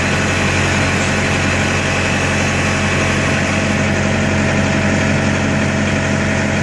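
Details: Truck reefer unit diesel engine, started during daily pre-trip inspection after sitting unused over a week: steady even low diesel chug with constant hum, no misses or knocks; running normally.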